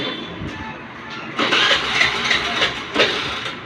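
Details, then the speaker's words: Hero Maestro scooter after fitting a new relay to fix a self-start problem: quiet, then starter catches and engine fires cleanly into steady run; normal self-start after repair. "দেখুন আমি গাড়িটা start করছি, দেখুন গাড়ি করে start হয়ে গেল, চাকায় দেখুন গাড়ি করে স্টার্ট হয়ে গেছে।"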